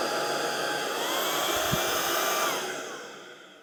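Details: Proscenic P11 Smart vacuum in automatic mode, brush pressed by foot to add resistance: high steady motor whine climbs briefly as brush is loaded, then winds down 2-3 seconds after release; normal auto power boost.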